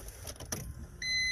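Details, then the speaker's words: Old Honda at key-on after work with everything plugged back in: a brief, steady, high half-second whir as the electric fuel pump primes, a noise it never made before. No fuel pressure is seen yet; it may need more gas. "oh i hear a fuel pump you hear that it never made that noise"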